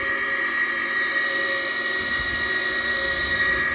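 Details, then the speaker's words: Gas furnace draft inducer motor at startup with the door off, igniter coming on before flame lights: constant high shrill screech over a steady motor whir; worn inducer motor bearing, motor to be replaced. "here comes the igniter boy that sounds terrible"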